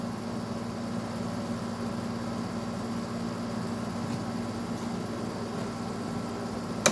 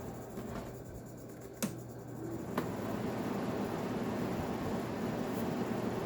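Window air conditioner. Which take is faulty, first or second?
first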